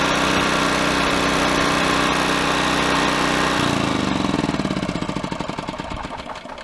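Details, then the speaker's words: Honda EX1000 generator after cleaning the carburetor float bowl of water and dirt: steady, even engine drone at constant speed, then shut off and coasting down; runs smooth and healthy again. "well it sounds good now folks that's all it took just a foot off the float ball needed to be cleaned out a little bit of water a little bit of dirt and it was kind of getting mixed in and creating an interference so once that was cleaned out it's back to running great"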